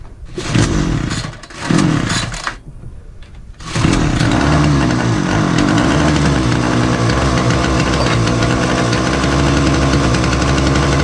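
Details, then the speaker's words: Titan multi-tool strimmer, on choke after tightening the carburettor adjusting screw: a few pull-start bursts, then a steady flat buzz that never reaches full revs. Fuel lines look worn. "It's starting, but it still ain't right. It's not getting to full potential of the revs."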